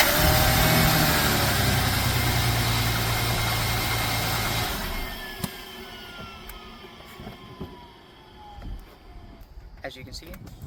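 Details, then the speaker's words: Vehicle jump-started with a Green Keeper GK-J1203 jump starter: engine catches and runs with a steady, even note, no stumbling or misses, then settles; started without a problem, clean start. "it started up without a problem. This thing is great."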